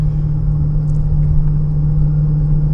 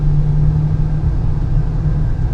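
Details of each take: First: 2015 Honda Pilot, 64,000 miles, hot 102°F day, test drive at 25-40 mph: steady airplane-like whining hum, louder when steering left and quieter right; driver-side wheel bearing suspected over the AWD transfer case. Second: 2015 Honda Pilot on a test drive in 102°F heat after a wheel bearing replacement, with the axle nut torqued. Steady low road rumble at speed, with no whine or hum where the noise was heard before: wheel bearing noise gone.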